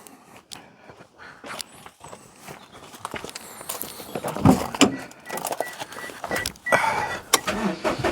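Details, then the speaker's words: Renault Vel Satis with warm, dragging brakes, wheel raised and spun: irregular metallic scraping bursts. Found to be a rusty brake backing plate, top section catching the disc. "Oh yeah, the backing plate is uh touching there."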